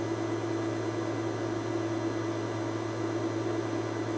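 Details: A constant airy hiss with a low hum underneath, nothing rhythmic. A suspected vacuum leak, not confirmed.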